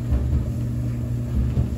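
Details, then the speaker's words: Kenmore 800 clothes dryer after blower fan replacement: steady low smooth rumble, the previous rattling from the blower fan is gone. "sounds quieter i don't hear the rattling sound that i was hearing from in there"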